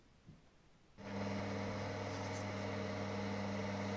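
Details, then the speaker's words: Inline bathroom extractor fan bolted into duct with foam packing: steady low hum and drone carried into wooden floor via mechanical contact between fan, pipe and floor; structure-borne fan hum. "But now you hear the sound, the humming sound because there is a mechanical contact between the fan and the pipe and the floor."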